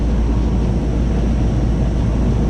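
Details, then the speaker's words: Goodman AC condenser after 45/5 MFD capacitor replacement and coil washing, pressures stabilized, checking heat and cooling: loud, steady low rumble with even fan rush, no knocking, rattling or cycling. Normal running. "Vamos a checar su heat, su cooling, para que vean que todo está trabajando."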